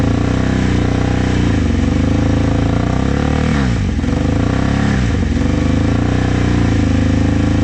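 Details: Vintage motorcycle from a trailer batch, started with starting fluid. Held on throttle with rough, uneven revs and two near-stall dips, it can't hold an idle.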